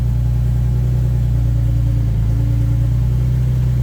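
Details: 2004 Nissan 350Z 6-speed manual (CD002) after throwout bearing and sleeve replacement, reassembled: steady even idle with no squeal or chirp as the clutch is worked and it goes into gear; normal idle.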